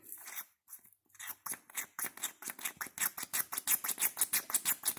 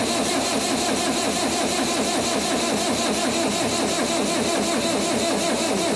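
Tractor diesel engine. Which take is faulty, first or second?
second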